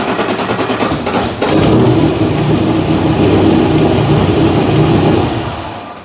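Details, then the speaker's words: 1986 Nissan 300ZX Turbo, stored for years, after swapping in a distributor from the donor car: brief crank, then catches and revs into strong even run with no misfire; healthy, confirming the distributor was the fault. "Hell yeah! Woo! Well, that's it. That's the problem. It sounded great."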